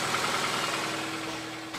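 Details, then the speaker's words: 2008 Nissan Versa CVT with codes P0746 and P0868 (solenoid A, low fluid pressure) after refilling with NS-2 CVT fluid; even idle with steady hum and light hiss, earlier peeking sound gone. Normal CVT idle. "now it sounds better"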